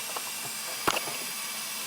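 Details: 2008 Chevrolet Colorado 3.7 with code P0442, smoke machine pressurising the EVAP system, engine off: a steady airy hiss of smoke escaping near the top of the fuel tank; a small EVAP leak from rotted-out fuel-system piping.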